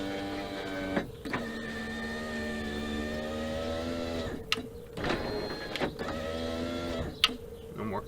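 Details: GM Colorado/Canyon/Hummer H3-type truck door after replacing the window regulator and motor (previously clicking and failing to lower): smooth, even motor whine as the glass runs each way, stopping cleanly; no more binding or clanking.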